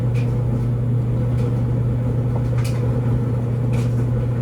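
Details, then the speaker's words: LG DLGX4001 dryer, normal cycle with TurboSteam, average load of regular clothes, heating after first steam round; steady low even hum with soft occasional clicks and thumps; heating and tumbling normally. "there was the uh first round of Turbo steam there right after the steaming it goes straight back to Heating for"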